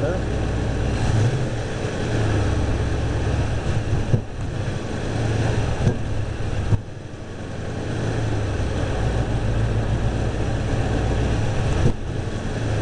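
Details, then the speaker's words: Fully warmed engine, fan on at 195°F; carburetor leaned a quarter turn on each needle. Steady drone broken by stumbles and dips. Hesitation and backfire still present; the problem later went away once the vacuum advance was disconnected. "got the hesitation still got the backfire"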